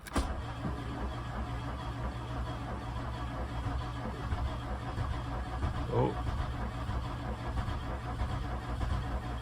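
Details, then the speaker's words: VW Mk2 Golf GTI 16v, untouched and sitting at least six weeks, on a fresh battery with an immobilizer and no fuel gauge reading: starter turns the engine over steadily with a low churning rhythm but never catches. Cranks, won't start. "Okay, it's turning over at least. No clue if there's any fuel in it or not. No reading on the fuel gauge. Oh. Actually sounds like it's trying to start."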